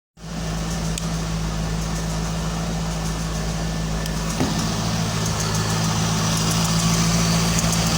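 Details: 2001 Corvette V8 at about 45k miles, ticking at cold start idle: light, fairly even ticking of about three a second over the hum; owner unsure whether pulleys, piston slap or something else.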